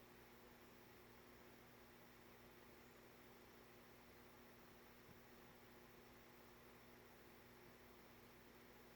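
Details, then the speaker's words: Nutone 52-inch friction-drive ceiling fan with a spinner motor conversion, on the solid-state speed control: a steady low electrical hum with a soft whirr under hiss. It is a little noisy, so the owner decides against solid-state control for this fan. "I figured we'd start it up with the control. It's a little noisy. Maybe it is living room quiet. So no solid state control for this one."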